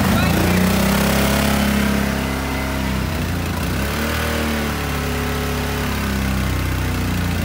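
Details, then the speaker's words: 2010 Kawasaki Brute Force 750 twin after the previously dead cylinder was made to fire: steady, even beat around three pulses a second, both cylinders firing cleanly, no misfire or stumble; now runs clean and pulls hard. "it sounds way clean dude there's such a big difference i just drove it there's such a big difference this thing flies now"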